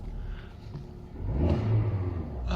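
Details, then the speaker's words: Audi A2 petrol with LPG conversion, engine fully cold after standing a day: idles low, then revs up cleanly and evenly with no stumble or miss. "engine is still totally cold ref seemed to work much nicer car is fixed"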